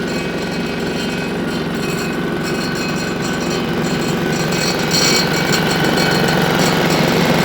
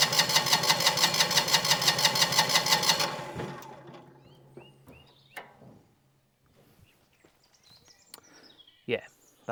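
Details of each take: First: Single-cylinder diesel on a Winget mixer, stood a couple of years without starting, running after repair: even, steady thump about three beats a second, no knocks or rattles, quiet for a single; normal running. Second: Single-cylinder diesel on a Winget mixer, stood a couple of years, with varnished fuel and no flow from the injection pump: steady cranking about three turns a second, no firing. Cranks but won't start; suspected stuck pump delivery valve.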